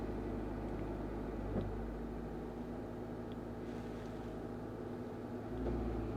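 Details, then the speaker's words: Honda Amaze CVT after cleaning and repair for RPM fluctuation, AC on with low fan speed, revs held at 1500 rpm: soft, even hum with no surging or hunting, engine speed stays stable. "देखो 15 रोके मैंने RPM बिल्कुल stable है जितने प speed लगा के रखा है मैंने उतने प ही है"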